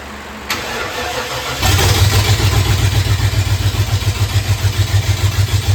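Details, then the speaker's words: 1992 Ford F-150 that sat over 10 years, with rebuilt transmission and new distributor: engine cranks and catches, then loud, deep, pulsing roar about three pulses a second from open headers with no exhaust pipes; cuts in and out somewhat. "I'm gonna fire it up for you just so you can hear how loud this thing is."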